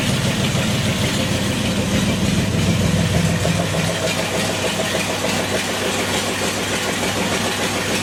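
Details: Restored 1932 Ford gasser truck, old V8 engine that sat 40-plus years, first run without coolant or fan belt: even idle after start-up, revs easing down slightly, no knock or misfire; good oil pressure about 42.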